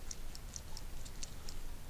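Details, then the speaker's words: 1995 Porsche 993 Cabriolet right-side convertible-top latch motor, bench-run after replacing the broken drive gear and regreasing: light, crisp ticks about every quarter second as it turns, the end limit switch clicking normally to stop it before end of travel. "and then all the way at the other end you can hear the switch click that should turn it off before it gets all the way to the end"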